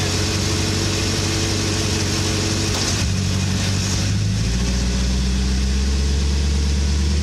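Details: 2008 VW Touareg, front driveshaft and transfer case area, in gear with brake held and throttle applied. A low drone, then a sharp pop. Owner suspects front differential. Rear driveshaft and bushing replaced, CVs look good, fluids full, CV bolts retorqued.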